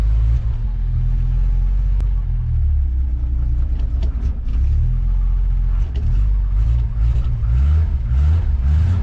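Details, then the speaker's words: 1987 Coachmen Classic Class A motorhome gas engine after sitting over six months through winter; gas pedal pumped repeatedly, long cranking until it finally fires with a heavy low rumble, running a bit unevenly. Hard start after storage. "Not bad for sitting for over 6 months, huh? And through the winter."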